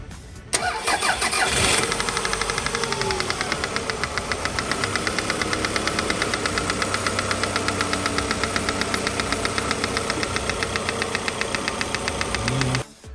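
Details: Engine in a RAV4, before an overhaul: it starts and settles into idle with a steady, sharp knock tapping about four times a second; after the overhaul the knock is gone.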